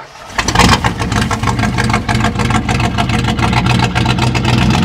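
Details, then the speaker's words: 1969 Chrysler Newport 383 Magnum V8 with 12-inch glasspacks, revived after sitting over 40 years; it fires quickly into a throaty, even idle with a slight lope and sounds good, though it runs rough elsewhere, suspected fuel filter. "sounds pretty good though sounds pretty tough not bad"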